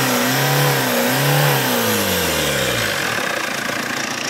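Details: Tata Indigo after head gasket job, head work, and new timing belt, tensioner and timing parts: revs rise and fall smoothly with clean even note, no knock or ticking, then settles, healthy.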